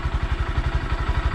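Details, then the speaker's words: 2020 Honda Grom at idle on the stock factory exhaust, before fitting an aftermarket exhaust: soft, even single-cylinder putter, low and very quiet, no knocks or misses; owner finds it too quiet for the road. Healthy idle. "Very quiet. Honestly, too quiet. This bike's really small to have a quiet exhaust being on the road."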